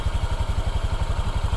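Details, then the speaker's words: Honda Vario 125 2023 scooter (matic) at idle, oil changed about five times: an even low putter, slightly coarse but steady with no misses or clatter; the owner judges it still standard and normal. "seperti itu Jadi nggak terlalu kasar banget lah masih standar Masih normal"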